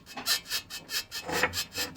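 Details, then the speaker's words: Lada Granta front suspension rocked with pry bar: dry rasping squeak about four times a second from worn ball joint, passenger and driver sides checked; temporary fix shown, replacement recommended. "теперь я думаю сомнений не остается что это у нас именно шаровая"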